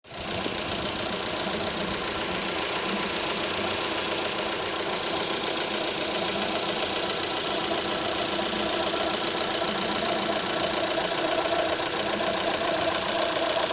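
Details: Opel Z18XER engine at idle: fast light ticking, about three to four per second, over a steady idle, heard only at idle; the owner suspects the camshaft phaser, but this is not confirmed.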